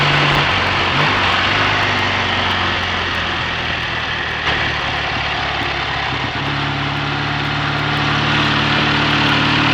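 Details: BSA A65 Thunderbolt with Boyer ignition on a test ride under load with the lights on: steady, even twin exhaust beat with no pops or stutters, after closing the spark plug gaps cured an occasional misfire; charging confirmed good.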